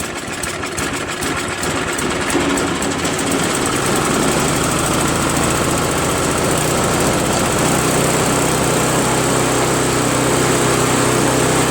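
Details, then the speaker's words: Craftsman push snowblower, after a carb clean and after its seized electric starter ring gear was freed with penetrating oil so the starter engages the flywheel: a brief crank, then it catches and settles into a steady, even idle of about four beats a second after long sitting outdoors. "Pretty good, man. I mean, For this snowblower to be sitting in that guy's yard for all this time, and you know, it starts up and almost idles perfectly, you know what I'm saying?"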